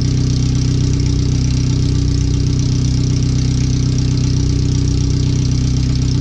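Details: First startup after a header replacement, new fuel filter and O2 sensors moved with a wideband added; running on the header only before the rest of the exhaust goes on. Loud, raw, even idle pulse with a hard bark; idles fine but is far too loud. The computer reads 5–7% rich.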